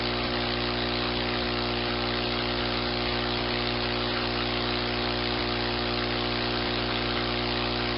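A steady, even motor hum with a constant pitch and no knocks or rattles; the pump is drawing air normally.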